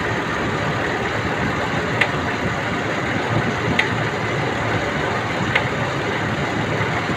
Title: Elgrand ticking noise.